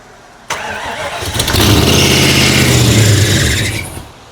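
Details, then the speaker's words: Abandoned 1995 Mustang GT 5.0 V8, first start attempt in neutral after sitting: catches with a harsh rough roar and high belt screech, then stalls; a pulley has locked up. "Well, something in the pulley system locked up. Oh boy. It's already breaking down."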